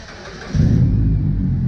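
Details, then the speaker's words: Mitsubishi Lancer after full cat-back exhaust with high-flow catalytic converter and downpipe: starter catches, deep even rumble and clean revs with no rattles or knocks, much cleaner than before. "Oh, yeah, it sounds clean. Yeah, that motherfucker hit now. It sounds much cleaner than before."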